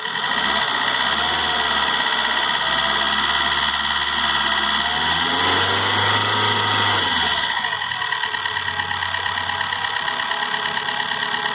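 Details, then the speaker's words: 2012 Chery QQ petrol engine idling with an uneven ticking knock, roughly three per second; engine has no hydraulic lifters, mechanic suspects incorrect valve clearance adjustment or timing; not confirmed. "regulagem de válvula com esse carro aqui a regulagem de válvula aqui esse carro não tem uns hidráulico tá e puxa o mecânico tem que fazer regulagens né aí tem que ver se foi feita a regular de corretamente das válvulas tem um barulho ó"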